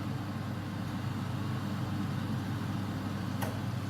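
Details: Beko HCA62541B kitchen range hood fan: steady, even whoosh with low hum at constant speed, no rattle, scrape or wobble; fan runs normally.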